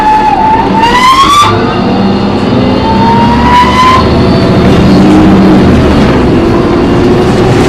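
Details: Loud screech while driving an MTA New Flyer D40LF bus #4088, recorded on board: a harsh high squeal rising in pitch as the bus moves, in bursts over engine and road noise; source unclear, brakes or transmission suspected.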